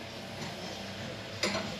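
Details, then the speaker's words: 2016 Renault Clio 1.5 dCi after a timing belt replacement with the fuel lines disconnected: ignition on to prime and purge air, a single sharp click, then a faint low hum as the fuel pump runs until it stops. "Now because we've had the fuel lines disconnected, what we're going to do, pop the key in, put the ignition on and the fuel pump, leave it run until it stops, and that should get all the air out of the system."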